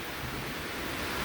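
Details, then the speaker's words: Coleman liquid-fuel camp stove after a pump repair, pumped about 30 times: a steady, even hiss-roar of the pressurised burner with no sputter or surging. The tank now holds pressure and the burner runs normally toward a blue flame. "so let's test it so you let it burn a little bit till that igniter starts then you should get a nice blue flame once it runs for a minute you'll get a nice blue flame"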